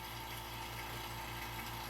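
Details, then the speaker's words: Vacuum pump evacuating a Subaru's A/C system after 10 minutes of pumping: steady low hum, even pitch, no labouring; quiet, so no excessive air drawn in, and vacuum later held, indicating no leak. "all right so we've been 10 minutes of pumping and the pump sounds quiet so there's no excessive air being drawn in"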